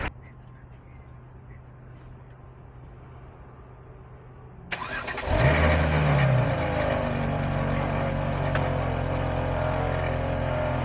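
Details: BMW-shop vehicle cranks and catches, then a steady coarse whirring growl rides over the idle. The alternator is noisy every time it spins and can be heard when wiggled, so replacement is recommended.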